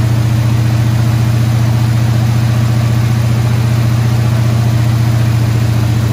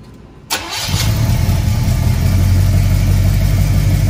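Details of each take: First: Squarebody Chevy C20 V8 at fast idle around 2,000 rpm after correcting a distributor 180 degrees off; steady, deep smooth drone, no misses or knocks. Run about 15 minutes; valve train later got a little noisy. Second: Squarebody Chevy C20 V8, first start after a cam swap: a brief crank, then a lumpy low idle around four beats a second; the distributor is installed 180 degrees off, so it won't fire properly, and the fix is repositioning it.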